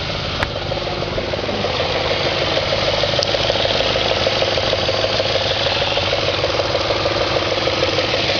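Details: 2004 Audi S4 4.2L V8 at idle, oil pressure over 100 psi at idle (gauge possibly hooked up wrong): steady idle with a regular light knock about three per second over the engine note; knocking at idle, cause unknown.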